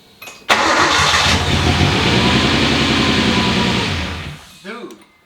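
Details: RB-swapped Nissan S13 240SX, first start in four years: the starter turns briefly, the engine catches at once and settles into a steady, even idle; a clean, healthy start.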